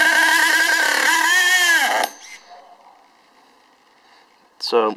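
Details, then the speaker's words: STS D30M small engine running very smoky: screams at high wavering revs with throttle untouched and not moving, then drops and cuts out after braking; cause of runaway unknown. "revving I'm not touching the throttles"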